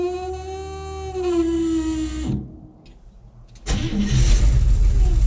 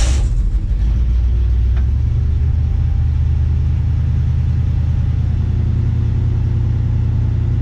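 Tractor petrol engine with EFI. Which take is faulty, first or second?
first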